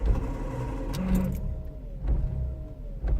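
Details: 2000 VW Polo 1.0 idling: uneven idle lurching with dips roughly once a second, engine visibly rocking; misfire, cause unknown to owner.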